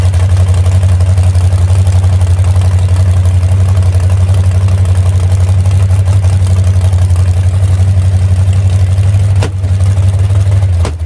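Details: Hot rod V8 fired up for the first time in about 7 months after a full crash-overhaul rebuild, throttle untouched, runs with a deep uneven loping beat around three pulses a second, stumbling; misfire, owner suspects a crossed plug wire.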